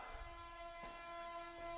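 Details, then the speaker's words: Tesla Model 3 parked during an over-the-air software update, ventilation off: steady thin whine with a few fixed pitches, no engine, seemingly from both drive motors; source unclear, owner unsure if front or rear, possibly wiper motors resetting after wiper update. "now the ventilation is not on but you could hear like these kind of mystery noises coming through that's a new one I can't tell if that noise is coming from the front of the back oh"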